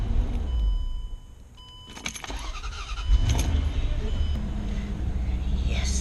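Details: 2006 Range Rover L322 that cranked without starting, after replacement with an aftermarket fuel pump: keys rattle, then the engine catches and settles into a steady, even low idle; it now starts and runs fine.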